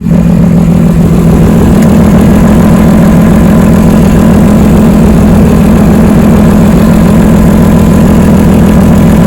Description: This is just to show how an exhaust leak will sound like….